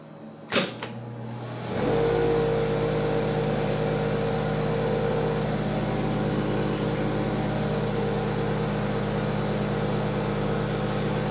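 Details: 1975 Amana Radarange RR-6W vintage microwave cooking a 1:30 program: steady even hum with low electrical buzz and soft fan rush, no rattles or arcing; running normally.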